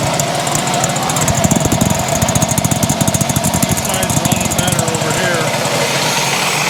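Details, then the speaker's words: 1970 Yamaha HS1 90cc two-stroke twin, started on choke, loud rapid regular knocking over a rough engine note; owner suspects crank bearings (bottom-end knock), not confirmed, engine to be taken apart. "yeah that's pretty bad I think that's what we're up against crank [Applause] bearings now guys I tell you it just it sounds bad"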